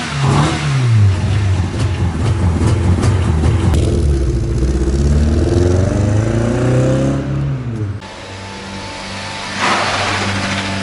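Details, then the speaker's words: Mazda MX-5 engine: rough, uneven blips through a few revs, then drops to idle; sounds tired and worn, engine considered dead. "damn this sounds like ass yeah this doesn't sound good at all bang Li engine is dead anyways"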